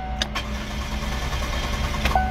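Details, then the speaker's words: 2020 Chevrolet Spark towed in for no start: starter cranks the engine steadily but it never fires; tank was out of gas. "yeah i wonder why it won't start there's no gas in it"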